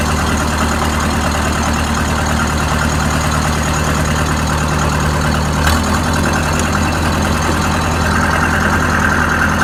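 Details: Oliver 550 tractor diesel after injector replacement, with a rigged-up radiator, warming up: deep, steady idle with even firing, no misses, knocks or smoke; runs normally.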